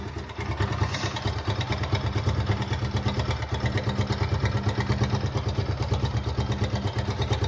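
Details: Suzuki Gixxer 155 at idle: rapid metallic clatter at roughly three beats a second over the idle, rattling loosely in time with the engine; timing chain noise.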